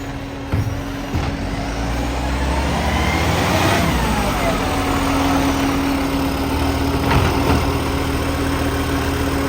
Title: Salisbury FOGO | 3520 Exhaust Leak